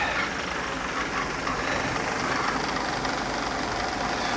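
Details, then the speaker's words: 1991 Mercedes 300CE that sat for years, idling after its idle control valve was cleaned and filled with Seafoam, spark plugs not yet changed: steady, even idle with a smooth hum and no misses or hunting. It still smokes from the Seafoam but sounds good. "This part sounds good. I'm happy with this part."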